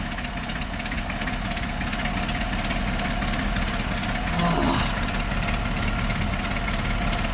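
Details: Roughly 1960s–early 70s GMC C5000 harvest truck big six, unrun 8 years, jump-started after gas poured into the float bowls: catches and runs rough and uneven, loping at idle, living only on the priming fuel.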